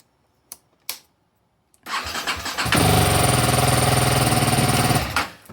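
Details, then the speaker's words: 2021 BMW G310R after replacing a failed ignition coil (misfire code 3A1DA0; it had cut out at 82 mph in sixth gear, then cranked with no start): clicks, then a first-try start and a steady, even idle. "there we are we're good to go we got a running motorcycle again"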